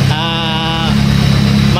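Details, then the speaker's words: 1997 Honda Civic ESi after a top overhaul with new head gasket, timing belt and water pump: first start after reassembly fires on one click and settles straight into a steady, even idle with no knocks or ticks, sounding normal. "maandar na siya, no mga klinika. So ayan, matining na matining, oh. One click start siya, no mga klinika."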